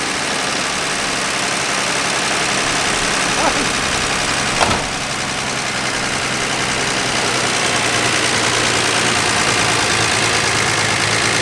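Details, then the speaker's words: Dodge Dart Swinger (A-body Mopar survivor) with 225 Slant Six and single-barrel Holley, just revived after sitting: steady idle under background hiss, no knock or misfire; pulling clean gas from tank, pump-to-tank line good, motor sounds great. "It's pulling up clean gas from the tank, which means that our line is good between the pump and the tank. Motor sounds awesome. It don't get much better than that."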